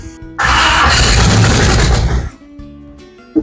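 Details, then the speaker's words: 1970 Chevy C10 with a 5.7 Vortec 350 from a 1998 van and a 700R4, first start: loud crank into a rough, raspy idle with a puffing note; exhaust leaking at an unsealed donut gasket, possibly also a vacuum leak. "Man, that exhaust is bad. That donut must not have sealed at all."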